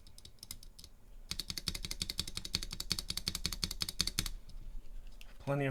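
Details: Durock/Everglide spacebar stabilizers on a bare PCB, stock sliders before the anti-rattle mod: a quick run of spacebar presses, each landing with a hollow, clacky rattle in a quiet room; the stabilizer is rattling.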